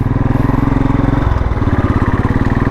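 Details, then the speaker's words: 2013 Royal Enfield Classic 500 single, fuel-injected, riding after repair of a misfire: one spark plug was dead and the main plug partly weak; both plugs replaced. Strong, even thump, clean gear change, steady pulses with no missing; runs healthy. "അതന്നെ partially വീക്കായിരുന്നു, അതുകൊണ്ടായിരുന്നു missing വന്നിരുന്നത്. ഇപ്പോൾ 2 plug മാറ്റിയോടെ ഒരു പ്രശ്നം solve ആയിട്ടുണ്ട്."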